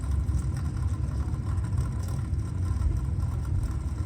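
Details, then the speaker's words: Newly installed replacement well pump running, low water cutoff lever held up, reading 6.5: steady, even low hum with water chattering in the pipes, no knocking or grinding; normal pump running. "It's 6.5, so it's running. And I can hear the water chattering here."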